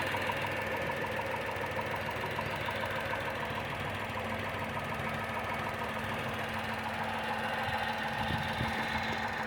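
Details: Tata Tiago XZ+ BSVI at 2,900 km: sudden knocking at idle, a steady, fairly even knock about three per second over the engine hum; cause not yet pinned down.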